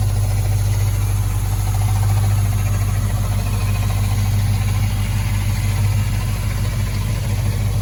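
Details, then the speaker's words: 1965 Impala convertible after LS V8 swap with new headers and engine mounts; deep, smooth, even idle rumble, quiet exhaust likened to a Corvette, no ticks or misses: normal idle. "Nice and quiet. Sounds just like a Corvette. The exhaust sounds like a Corvette, everything."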